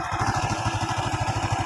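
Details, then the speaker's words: Honda Revo Absolute single, which seized from a broken connecting rod, after replacing the rod and piston: steady, even low thumping at about twelve beats a second, no knocks or rattles; smooth and back to normal. "oke di sini sudah mesti sudah halus sudah normal kembali setelah pergantian stang dan piston kita ganti sekalian"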